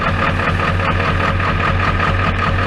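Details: Ford F-350 XL 7.3L Powerstroke turbo diesel, hard starter when cold, now warmed up and restarting instantly; smooth, even idle with deep steady rumble, no misses or knocks: normal warm idle.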